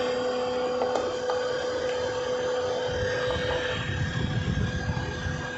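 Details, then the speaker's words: 10-year-old Maruti Suzuki Swift diesel, key on, engine not started: steady loud rushing whoosh with no engine beat; radiator fan runs constantly at full speed as soon as key is on, cause not yet diagnosed. "इस गाड़ी में problem ये है कि इसका जो radiator fan है, चाबी देते ही एकदम फुल स्पीड में घूमता है। गाड़ी स्टार्ट करने की ज़रूरत नहीं, चाबी ऑन करते ही एकदम फुल स्पीड में घूमता है।"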